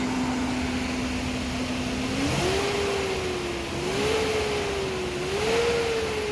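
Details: Nissan after cam position sensor work: pitch climbs cleanly with each throttle blip and settles without hunting. Pickup is healthy, the previous stalling and no-pickup are fixed, and the test drive confirmed it.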